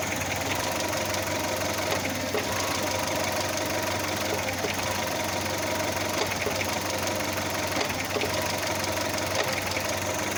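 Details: Audi A2 at idle: quick, regular rattling ticks that keep pace with engine speed. Something is loose; the owner suspects an engine mount, unconfirmed.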